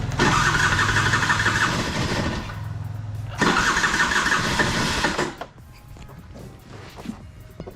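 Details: Piaggio Skipper 150cc scooter, carburetted, described as seized piston with loud engine: catches after long cranking, runs loud and harsh a couple of seconds, then dies and struggles to start; seized piston.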